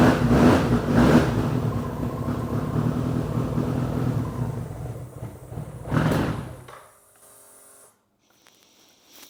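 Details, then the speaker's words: 1993 BMW K100 motorcycle after long storage, new battery and fuel pump fitted; an uneven, surging, lumpy run fades and dies after about seven seconds, rough running the owner suspects comes from sitting unused, with a strong smell of old gas. "running a bit rough maybe because it haven't ran in a while so smells really bad too"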